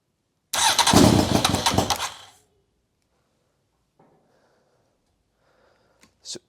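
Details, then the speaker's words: Honda Fireblade motorcycle engine in a kei truck with aftermarket ignition, first fire-up after carb bowls filled: catches with a loud ragged burst under two seconds, then dies; wiring box with cut lines may prevent proper running. "so it did start well sort off"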